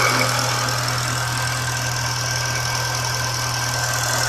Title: SC weird noise